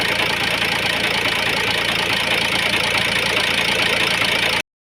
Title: ford focus disel 1.8tdci injector misfiring vibrating noise.